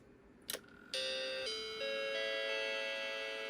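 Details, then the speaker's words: Macintosh II logic board with ROM executing gives a click at power-on, then a slow chain of sustained tones stepping between pitches: the chime of death, a failed-startup hardware fault; bad RAM or something else suspected, not confirmed. "Now we're getting the chime of death, which means that the ROM is at least executing. Now that could be bad RAM, it could be something else."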